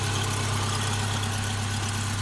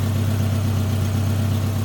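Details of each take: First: 2009 Subaru Forester, all-wheel drive, fuel injected, at idle: smooth, even, steady low drone with no knocks or misses. Slight belt squeak is noted and exhaust leaks are suspected underneath. Finding: normal idle. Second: 2009 Subaru Forester, fuel injected, at low idle: smooth idle with a soft, steady puffing pulse riding on it; exhaust leak somewhere underneath.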